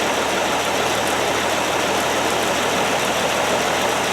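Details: 1969 Land Rover Series 2a with six-cylinder engine, running better: even, steady idle with no missing beats or stumbles; all six cylinders sound like they fire cleanly.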